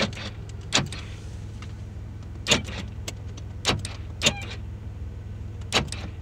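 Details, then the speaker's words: Chevrolet Impala, engine idling, after replacing the door lock actuators: five crisp, quick lock clunks at uneven intervals, each snapping fully home; power door locks work normally. "all right so i'm all done with the lock actuators now all of them open i should say lock and"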